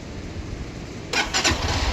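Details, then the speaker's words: Lifan KPR 200 motorcycle starting after repeated key-on fuel-pump priming cycles: quiet, then the engine catches at once and settles into a steady, even idle with no stumbling. It starts right up normally. "start right up."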